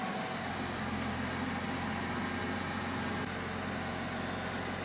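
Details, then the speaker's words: 2021 Chevrolet Silverado 1500 with 3.0L LM2 Duramax diesel, just after fuel filter change and ignition-on priming: fired right up into a steady, even idle with a faint electric fuel pump hum, no knocks or misses. "right some things to note while the engine is running right now in my case it fired right up"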